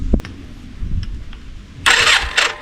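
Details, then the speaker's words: Yamaha Virago 535, 34 years old, last ran 2003: short bursts of starter churning with uneven chuffs, engine never catches. Cranks, no start; plugs black, spark present, carbs next suspect. "all I know from last time it the the start motor just spins and that seems to be what it's all doing at the moment."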